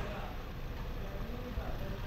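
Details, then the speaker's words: 2020 Toyota Rush after repair of misfire, shaking and a knock inside the engine; soft, even exhaust burble with no skips, smooth idle. Normal idle. "Ito na nga mga kaero ah pino na yung andar"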